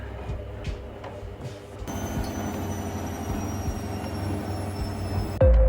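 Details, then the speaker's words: Washing machine after the drum bearings were replaced along with a drum spider and shaft worn at the bearing seat: a steady low hum of the drum spinning evenly, normal with no knocking, rumbling or grinding. "после сборки стиральная машина заработала штатно без посторонних звуков"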